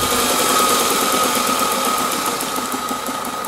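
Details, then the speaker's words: Bench grinder motor on a homemade triac speed regulator. A steady hum with a thin tone near 1 kHz and a faint pulsing about four times a second, in sync with the triac firing impulses; the regulator is cycling the motor normally. "So whenever the triac is on, this LED is on as well, and you can even hear it. It's in sync with the sound."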